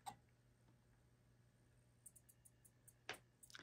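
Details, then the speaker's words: Digitrax BXP88 model railway layout with rail A/B wiring crossed at a section joint, locomotive run slowly across: faint, sharp relay clicks in short bursts over a low steady hum, relays chattering from reversed rail polarity. "so if you were to be putting pieces together and you see that kind of response, you can hear my relays clicking."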